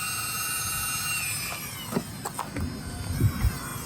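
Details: 2016 RX350, rear brake job, car on, electric parking brake released via Thinkdiag scan tool: a thin steady electric whir under a few short clicks and clunks as the rear caliper motor backs off; normal operation.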